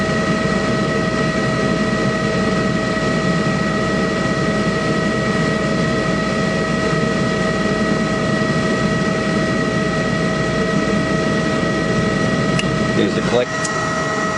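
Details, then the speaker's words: Trane YCH180 15-ton rooftop unit gas heat call: steady draft/blower motor hum, then clicks from the ignition control and glow coil before burner fires; normal ignition sequence, rust later came out of the unit. "there's the click the blower motor you can hear another click and then it should fire that other click is the glow coil"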